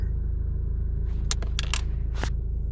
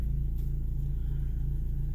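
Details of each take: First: 2010 Ford Focus 2.0, about 40,000 miles over six years, heard from inside the cabin while revving: a deep throbbing idle rumble with scraping rattles as vibration shakes the steering wheel; worn engine and transmission mounts suspected, top mount already replaced several times. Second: 2010 Ford Focus 2.0 after the transmission mount (and strut mount) was replaced, heard from inside the cabin: a smooth, steady low idle rumble with an even pulse and no shaking thumps, vibration much reduced, and a socket now stays on the steering wheel.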